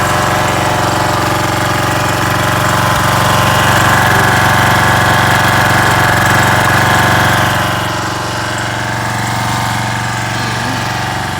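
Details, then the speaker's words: Craftsman 190cc 8.75hp pressure washer, Briggs & Stratton 122S02-0127-F1 engine, after refitting detached governor spring: Quiet Sense idle-down works, engine goes to full throttle on trigger and drops to idle on release. Normal throttle response. "It goes back to full throttle. And down when I release the trigger. That's the way Quiet Sense works."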